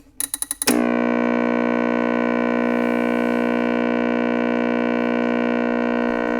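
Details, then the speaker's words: Panasonic RC-6030 flip clock radio from about 1976, rebuilt from parts: a few clicks, then a loud, steady alarm buzz through the speaker holding evenly for six seconds; normal alarm. "The alarm is an annoying buzz that comes through the"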